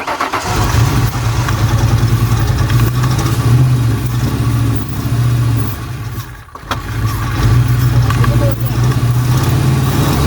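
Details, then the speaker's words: 1999 Ford Mustang GT 4.6 V8 5-speed, sat for years and ran rough when parked, running on starting fluid with a little gas: uneven chugging, a pop, nearly stalls then staggers on; cause not yet found, fuel pressure check next. "i didn't like that pop i tried not to let it stall out but we had to run it on starting fluid and this mustang is right there it really wants to start"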